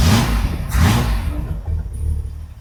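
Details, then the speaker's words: Classic car after correct ignition coil, new contact breakers and condenser fitted, static timing set, carb previously over-fuelling: engine catches and settles into a steady, clean low idle without misfires, best it has ever run. "It's the best it's ever run. It's idling properly."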